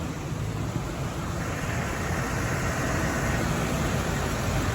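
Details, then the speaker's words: 1983 Cadillac Seville after injector replacement, long unused and previously badly flooded; warmed up, idle has come down to an even settled hum under a soft hiss, no knocks or misses. Normal idle. "Oh yeah, it's idle's come down nicely. Even just getting some heat into the components, you know."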